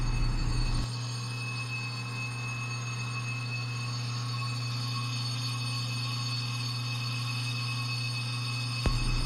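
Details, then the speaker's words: 1959 Matchless rear brake drum turned with hub on a custom mandrel, carbide Micro 100 boring bar at slowed feed for finish: steady, unbroken cutting hum with constant tone, no chatter, as the round drum cuts all around; steady even cut. "if you can hear very closely, you might notice that the sound is more consistent. That is simply because the brake drum is round and it's cutting all the way around the circle itself."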